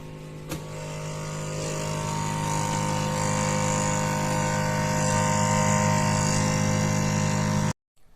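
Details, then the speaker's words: Samsung double-door refrigerator with a very loud freezer: a harsh drone with steady buzzing and rapid scraping as the fan blade catches on ice. "इस वाले fridge के freezer से जो है दोस्तों बहुत ज्यादा आवाज ए रही है"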